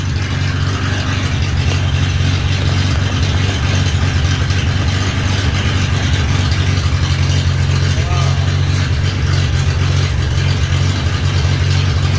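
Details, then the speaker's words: 1963 Rambler being fired up after a radiator swap, previously run off a bottle, wavering, loping idle that won't hold on its own; needs a tune-up, owner suspects the carburetor needs cleaning; unstable idle. "i think the carburetor needs cleaned out because i know it doesn't like to hold an idle on its own very well but maybe once it gets to run for more than a minute at a time that will change"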